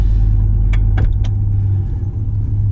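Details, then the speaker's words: 2010 Ford F-150 Lariat V8 with salvage title, 188,467 miles, just after start-up: a deep, smooth rumble holds steady with only a few cabin clicks and no engine tapping; normal idle. "Yeah, it fires right up. 188,467 miles."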